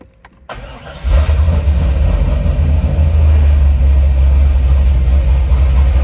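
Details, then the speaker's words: 1999 Chevrolet Corvette Z06 after wiring harness and clutch pedal replacement, no check engine light: starter catches quickly, then a deep, loping, choppy V8 idle; normal lumpy idle from an aggressive performance camshaft. "First thing you'll probably notice is how choppy the idle is."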